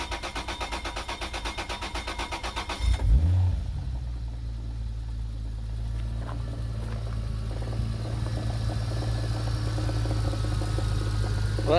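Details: 2001 manual turbo Lexus IS300 (2JZ) starting with transmission removed: starter cranks, then rough idle with uneven low knock/grinding; owner first feared bottom end, later suspected loose crank pulley, unconfirmed; flywheel undamaged, oil being drained.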